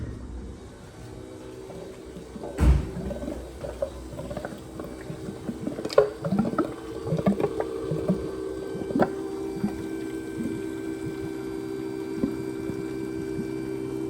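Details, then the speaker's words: Drag truck build, first power-up after fresh wiring, intercooler water pump running with air still in the lines. Faint steady electric hum under gurgling, trickling water and a few knocks; the pump is moving water normally. "Last thing is the intercooler. I hear it."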